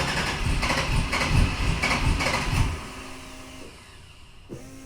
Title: Rod Knock, Knock, Knocking on Heaven's Door